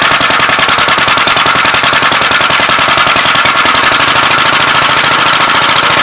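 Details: Gravely L single-cylinder just after its Wico magneto timing was set at TDC on compression. Sharp, even single-cylinder firing about three and a half pops a second, steady and clean: normal running.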